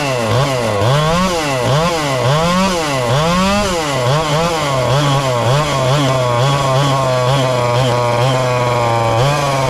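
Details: Ported little 2375 chainsaw with carb and ignition-timing mods, running straight methanol: quick surging swells, then a high thin buzz with no rich burble. Running lean even when tuned as rich as it goes; the carb needs drilling out.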